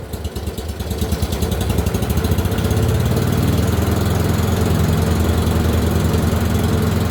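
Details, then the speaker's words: Dixie Chopper 60-inch zero-turn mower V-twin, only firing on one cylinder, throttle jammed wide open; lumpy thrum that labours and wants to die when blades engage or drive is loaded; cause not yet found. "the minute i either turn on the blades it wants to kill the motor or the minute i try to drive it and put pressure on it by using the steering arms it wants to slow down and die again"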